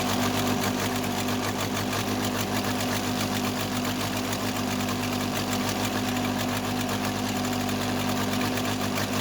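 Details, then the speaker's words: Case 580C backhoe diesel after valve adjustment, injector lines cracked at idle; slightly uneven beat, second cylinder weak and dropping out; owner suspects second injector, valve or piston rings, not the line: misfire on one cylinder. "All right, it's that second cylinder. I don't think it's the injector line. You couldn't hear much of a difference at high revolution."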